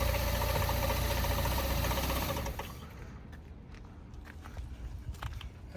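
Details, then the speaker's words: 2013 Ford Taurus at police auction, jump-started: rough idle with a fast, fairly even tapping about three to four per second that fades as the engine settles; engine knocking of unknown cause. "Started up with a jump and But I'm knocking it a little bit. You can hear it knocking."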